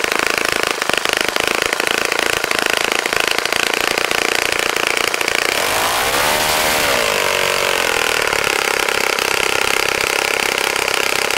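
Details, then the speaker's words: Saito FA-65 model four-stroke glow engine, first run after rebuild, APC 12x6 prop, Morgan's Omega 10% fuel, Fox Miracle plug, hard to prime: high buzzy idle picks up cleanly, climbs smoothly, settles to steady drone; normal running. "okay John as you can see how so pretty nice running engine after a rebuild like that sometimes it's hard to get it primed"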